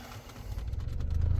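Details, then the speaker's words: 2015 BMW 335i, key on, blower fan switched on: low droning rumble building and throbbing over a second or so, with dash vibrating, worse at times; owner suspects something in the blower motor, unconfirmed, before replacement. "so you can hear that and then you can fill the dash vibrate to as well so but again I'm suspecting there's something in the blower motor"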